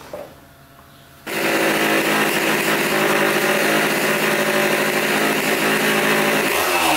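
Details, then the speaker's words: 1980 Honda CR80 barn-find two-stroke, tank cleaned and fresh gas added: catches cleanly and holds a crisp, even high-pitched idle with no misses or stumbles. Running well. "ran pretty good okay I think so"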